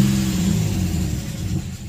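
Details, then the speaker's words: Nissan VQ35DE (G35/350Z) with a stalling issue, warmed up about 10 minutes at 183°F: a short rev falls back smoothly to a steady idle, not dropping far below 700 rpm. "doesn't seem to fall far below the 700 mark"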